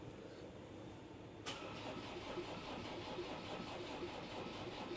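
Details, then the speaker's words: Land Rover Defender after DIY engine swap, on jump leads showing 12.8 V: click then sluggish, uneven cranking about two and a half beats a second, never fires; voltage drops when cranking, weak cranking speed suspected from battery. "Doesn't sound like it's turning that fast, does it?"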